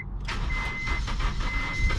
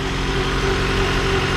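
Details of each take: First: 1997-2001 first-gen Honda CR-V, first start on jump box after adding fuel and priming pump: starter churns rhythmically, engine nearly catches and surges but won't run; crank no-start, owner suspects snapped timing belt, unconfirmed. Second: 1997-2001 Honda CR-V with newly replaced engine, no exhaust or catalytic converter, no check engine lights: loud, raw but steady idle with an even low drone, no stumble or shake; normal idle, just unmuffled.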